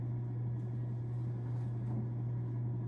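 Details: Home Essentials 42-inch ceiling fan on medium speed, about 2,939 CFM, drawing 33 W and 0.29 A: smooth even low hum with faint soft whoosh, no ticks or wobble; running quietly and normally.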